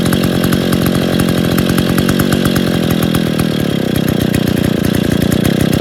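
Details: Stihl 070 chainsaw after bottom-end rebuild (excess axial play removed, new seal, drum and sprocket fitted; no choke, cover or bar yet) gives a loud, crisp two-stroke rasp with even firing pulses, no misses: normal running.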